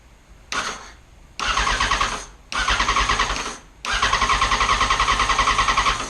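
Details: 2011 Yamaha FZ1 abandoned bike with new battery and cleaned ignition; three bursts of steady rhythmic churning at about three and a half turns a second, starter cranking but engine not firing.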